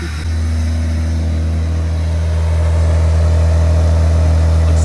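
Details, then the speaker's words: Jeep Grand Cherokee WJ (1999-2004) after replacing the idle air control valve to cure a rough idle: smooth, deep, even idle with a slight lift in speed, no hunting or roughness; the noise is gone. "the noise is gone we're gonna let it run for a little different changes"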